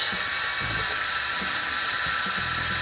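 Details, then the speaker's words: LED faucet light with small water-driven turbine on a tap, cold water running: steady high hiss of water with a faint thin whine over it from the spinning turbine. "okay so that's cold here that makes a little noise there you go"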